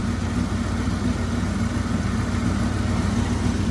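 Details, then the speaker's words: 300,000-mile 1996 Ford truck warming up after sitting, fan broken, may need coolant top-off: uneven, lumpy idle with irregular low chuffing about 3–4 a second like a misfire, smoothing as it picks up cylinders; timing is in doubt, cause unconfirmed. "Well, it sounds like it's picking up some extra cylinders as it sits here and warms up."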